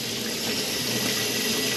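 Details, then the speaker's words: Sink faucet after water heater relief valve replacement and refill, house pressure 65 psi: constant smooth rush of water, no spitting or sputtering, air purged from system; normal faucet flow. "so we're back on air's out of the tank i'll let that run for one minute or so"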